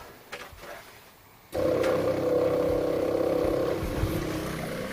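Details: Arctic Fox 811 truck camper during de-winterizing, fresh water pump drawing from a jug through the winterization hose: quiet, then a steady mid-pitched buzzing hum; pump running normally.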